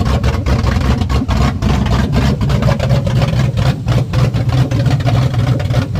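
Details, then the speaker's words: Ford Coyote V8 swapped into a Fox-body Mustang, restarted after its first start with fuel pressure running too high: deep lumpy idle at a steady rhythm, about four pulses a second, no misses or knocks; healthy idle. "She is alive. She's alive. All right, Brian, what do you think? It's awesome. I mean, It's awesome. dude, it's running."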